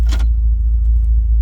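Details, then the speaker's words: Flooded Bentley with cloned immobilizer module: steady, even low rumble continues without dying or stumbling after shut-off, engine run-on until something is pulled. "look it's still running it's still running because look let me pull that there it goes"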